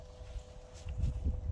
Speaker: When you turn it on, you should hear it kind of buzzing.